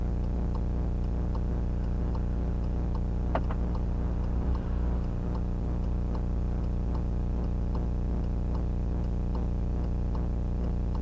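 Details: VIOFO A119S dashcam footage in a car: an even tick-tock about twice a second over a steady low engine drone. The ticking noise is picked up in the dashcam's recording rather than coming from the car.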